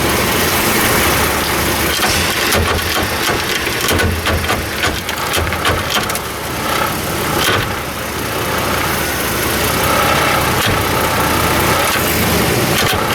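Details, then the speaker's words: Chevy S-10 4x4 pickup (stated as 1998 and as 2003), complaint of no or intermittent four-wheel drive: in four-high on a tight turn, the engine pulls against irregular clunks and gritty crackling; the driveline binds, cause not yet found. "Well, well, there's a problem. We're getting some serious noise here. We better stop that."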